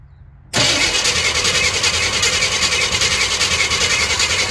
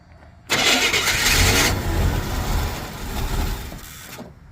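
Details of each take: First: 1987 Chevy K20 plow truck, 350 small block, sitting for years, on a good 12-volt battery: fast, even, loud starter churn with a hissy edge, spinning briskly but not catching; strong cranking, no start, before ether is tried. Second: 1987 Chevy K20, 350 small block, sitting for years, fresh premium fuel added to an empty tank: catches with a flare of revs, then lumpy uneven idle and dies in about three seconds; spark timing suspected; rough idle, stalls.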